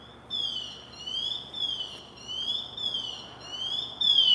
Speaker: we're going to hear that angry bird it's going to get a little bit louder and a little bit louder until it gets really mad and make sure that everybody in that fire knows so it's kind of getting louder you kind of hear the beeping sound